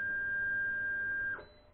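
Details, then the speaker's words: Anycubic i3 Mega 3D printer, new, first-time bed leveling with the small screws: one steady high-pitched beep about 1.5 seconds from the leveling probe, then clean cutoff, meaning contact and nozzle height correct. "Donc là si on entend le bip, ça veut dire que c'est bon. Tout juste, hein."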